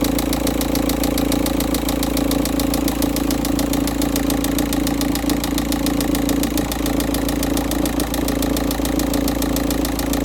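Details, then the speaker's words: VW Touran 1.9 TDI idling after a cold start at 13.2: hard knock about four times a second over the diesel clatter, getting louder as the oil warms and thins; sump removal found the cylinder 3 big-end bearing gone; rod knock. "The knocking noise is getting louder and louder when the oil is becoming warmer or thinner."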